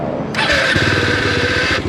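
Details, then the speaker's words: Bajaj Dominar 400 motorcycle, friend's bike: on start-up the engine catches into a rapid, loud tapping clatter over the starter whir that quiets once running; rider noticed the loud start noise, cause unclear. "Napansin ko din yung malakas na tunog nito pag start nito."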